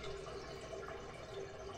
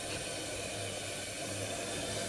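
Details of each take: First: Toilet flushes sluggishly, water not fully draining, then bubbling gurgles as it goes down; augering several times failed, and a partial blockage before the main drain is suspected. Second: Toilet after a clog that caused incomplete draining and gurgling was repaired and the water turned back on: quick, rushing flush that drains cleanly into a steady refill with no gurgling or choking; it now flushes normally.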